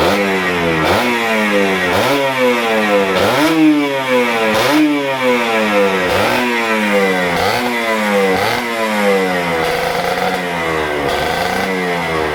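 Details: Kawasaki Ninja RR 150 two-stroke with heavy pull and sputtering, throttle blipped repeatedly: each rev rises then sags back slowly and raggedly as the power valve (Super KIPS) sticks at certain rpm; sticking power valve.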